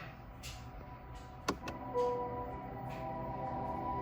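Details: 2021 Honda Accord Hybrid in electric vehicle mode, in drive: quiet, steady electronic hum with a couple of soft pure tones holding even from the Acoustic Vehicle Alert System; quieter than in reverse; pedestrian warning sound working normally.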